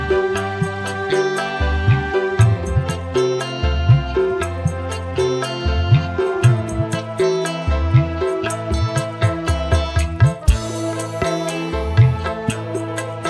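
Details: Polytron PAS 68 active speaker that shut itself off after about 15 minutes once hot, after repair: clean, full music with crisp plucked notes and steady bass, no rasp or crackle; earlier raspy midrange gone, normal playback.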